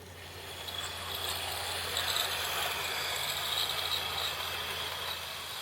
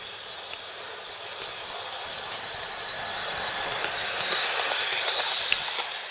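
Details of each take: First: Hornby R2701 Class 43 HST model, DC-ready chips, before decoder fitting, at its slowest DC speed on an old Hornby DC controller: soft steady motor hum, light even wheel ticking, very smooth and slow. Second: Hornby R2701 Intercity 125 HST Class 43 model: thin high squeak with faint ticking from the trailer car. Plastic modelled brake shoes are suspected of rubbing the wheels and causing friction and the squeak.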